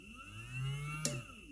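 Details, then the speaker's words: Small DC motor on almost 12 V supply through switch and relay: faint steady low hum with soft whir; motor running normally. "if i close my switch you can hear the motor is running"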